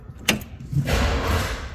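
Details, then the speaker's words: 1965 Chevrolet Impala with rebuilt 327, before adding a relay for constant 12 V to the starter solenoid: sharp click, then about half a second of nothing before the starter spins; delayed start, solenoid sharing coil power, sometimes only clicks. "You can hear that slight delay there. Now, it's probably not going to do it cuz I'm recording it. Anyway, it would just click like we have a dead starter, and that's the issue we're trying to repair here."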